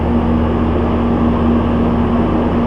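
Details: Old meat shop walk-in cooler condensing unit running for the first time in over 5 years after rehab, fan motor previously replaced: even compressor hum, steady low tone and smooth fan rush, no knocking or rattling; normal running.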